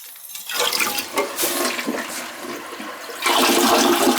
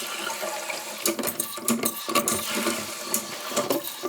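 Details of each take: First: The same toilet on its third test flush with a load of paper: a strong rushing, swirling flush that drains cleanly, then the refill hiss. It flushes properly, and the toilet is working fine. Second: Toilet that the owner reported as not flushing: a short, thin, gurgling flush with scattered splashes and no strong rush of water, because the tank water level is set too low.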